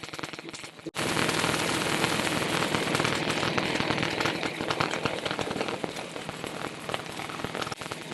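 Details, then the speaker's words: Harley Sportster XLCH magneto with Morse Magneto magnet and stock Fairbanks Morse coil, spun on a lathe at about 600 rpm: rapid sharp snapping crackle, about four bursts a second, steady; strong, healthy magneto spark. "yeah that's some serious spark right there I ain't GNA touch it want me to touch it I ain't G to touch it"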